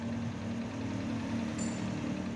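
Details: Honda Supra X 125 that had a rough, rattling engine noise, after checking the cam chain tensioner: smooth, even idle with a steady low hum and no tapping or chain rattle. Normal idle.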